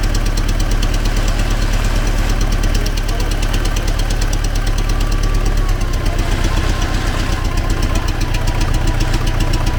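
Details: T-40AM tractor diesel running in about -14°C after a month standing, started with the manual throttle pushed fully open; uneven heavy knock about 75 per minute under the low rumble, internal engine knock, cause not found.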